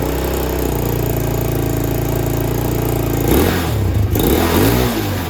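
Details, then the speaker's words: Carbureted motorcycle started after sitting for months, idle may need adjusting and oil change due, slight smoke from debris on engine; steady idle, quick throttle blip, returns cleanly to idle without hanging, healthy. "Wow, it goes right back to idle. Nice."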